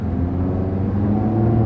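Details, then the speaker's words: Nissan with CVT pulling away: steady low droning hum with slight throb like a motorboat; typical CVT behaviour, nothing wrong; slight timing chain noise considered normal. "kind of sounds like a motor boat to me i just don't like the cvt transmissions unless they're toyota or honda and they have those launch gears"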